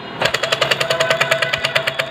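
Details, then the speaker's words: Sewing machine turned by hand: sharp metallic clatter about ten times a second each turn, loud noise caused by a worn shuttle hook (latto) in its race, would be louder on treadle stand; worn shuttle hook. "यहां पे ये कुंडी है लट्टू है खराब हो चुका है जिसकी वजह से मशीन बहुत ज्यादा आवाज़ कर रही है"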